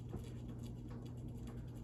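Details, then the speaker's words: Emerson Casablanca Classic ceiling fan running with a low steady hum and light uneven rattle from blade vibration; stops when the blades are touched. "that noise you hear is this vibration there we go i hit the blades it stops making that noise"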